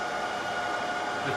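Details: HP ProLiant DL380 server being wiped: loud steady rushing roar like a hair dryer with faint whine on top; fans running flat out.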